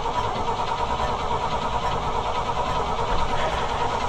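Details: Chevrolet C65 truck on a jump box: starter churns the engine steadily at about two turns a second but it never catches. Crank no-start, from fuel pump failure.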